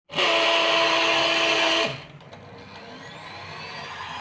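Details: Cake mixer repaired after a rough, snoring noise when switched on: clean steady motor whir at constant pitch for under two seconds, then it spins down, with no rasp or growl; it now runs very smoothly.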